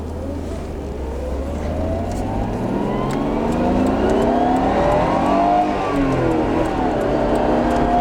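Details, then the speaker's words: Nissan Skyline GTR R32 engine under acceleration: pulls cleanly through the revs, pitch climbing smoothly and dipping on each shift, no knock or misfire; sounds strong and beefy on open throttle, gear changes trouble-free. "oh wow so uh yeah it was able to finally open up there and um definitely sounds really good pretty beefy uh when you open up on the throttle it has a lot more uh almost like an itv sound to it"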